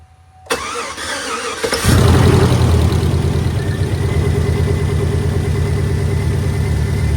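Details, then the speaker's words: 2008 Chevy Avalanche 5.3 V8, first cold start after rebuild for timing chain failure (bent valves, repaired heads, damaged lifters and pushrods, fuel pump primed): starter whirs, engine catches into a smooth even idle, quick oil pressure; check engine light on. "Not too bad. It actually got oil pressure really quickly."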